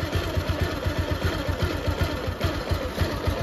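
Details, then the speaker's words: Second-hand Bajaj Pulsar 150 single-cylinder bike, new battery, after the carburettor overflow was fixed, one sensor left disconnected, at lowered idle rpm: low, steady idle with even thumping around four per second, no misses; pickup also fine. "देखो एक-एक sound आ रहा है और pickup वगैरह सब कुछ सही है।"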